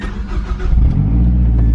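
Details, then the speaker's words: Mazdaspeed just after swapping from front mount back to a CorkSport top mount intercooler: brief crank, fires right up and holds a smooth, steady idle with no misses; normal start and idle. "Starts up perfect. I mean, what did I expect though? I just put a top mount on."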